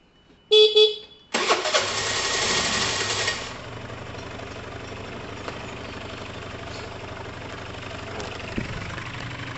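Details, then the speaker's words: Dumped Piaggio Typhoon 125 two-stroke scooter, two-stroke oil added down the cylinder, smoky; after a horn blip it starts easily and settles into a light, steady idle on its own: normal start and idle. "but you can see that it started up quite easily i'll give it a minute to warm up"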